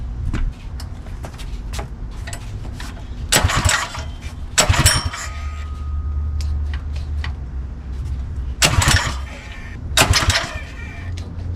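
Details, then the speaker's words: Predator 212 Mega Moto minibike engine just after installing CDI Performance ignition kit on a 12 V Milwaukee M12 battery: several sharp rasping recoil pulls with no catch or firing; engine turns over but won't start. "Didn't go so well. Let's try to figure out why. Why doesn't it work?"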